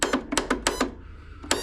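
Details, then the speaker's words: John Deere E140 riding mower, key turned with parking brake set, battery and fuse reading 12.48 V: sharp uneven clicks from the starter solenoid with no cranking; safety switches likely fine, solenoid not engaging. "you can hear some clicking coming out of the selenoid here what that is telling you is that likely the safety switches and everything are good we're likely getting 12 volts to the solenoid but the selenoid is not engaging"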